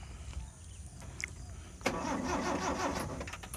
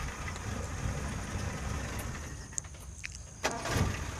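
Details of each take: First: Colt T120 car that is hard to start: after a quiet moment the starter cranks in a steady churning rhythm but the engine never catches; fixed by replacing contact points and point wire and adjusting the distributor. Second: Colt T120 petrol engine idling with a steady, even low rumble, running normally after a hard-starting fault was fixed by replacing the points and points wire and adjusting the distributor.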